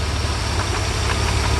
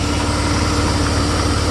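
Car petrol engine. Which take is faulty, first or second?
first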